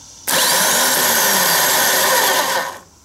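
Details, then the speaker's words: Worn starter motor from a 4th-generation Nissan Maxima, bench-run unloaded, spins with a harsh, rough, gritty whir and grinds as it winds down; it gave a slow, weak, unusual crank despite a fully charged battery. "very rough sounding making that kind of sound this thing is uh weak"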